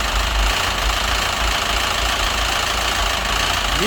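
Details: Citroën DS3 1.6 petrol engine at idle, persistent light knock under busy mechanical clatter, no better after filter and fresh oil change; engine ran without oil, shavings in filter, idle hunting, rich-mixture/phase codes; head or crankshaft suspected.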